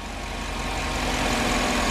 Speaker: nice and quiet now but if you hear it that lifter is building up oil pressure and then the tick goes away